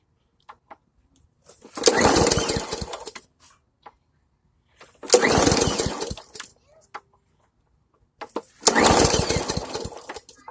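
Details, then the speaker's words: Briggs & Stratton Hyper Tough mower with no choke (the handle acts as choke): three pull-starts, each a second of rapid chuffing that dies away. It cranks but won't start; the owner suspects it needs more gas. "So, let's see if I can give it a couple pulls, see if I can get it to start again. It sounds like it wants to start."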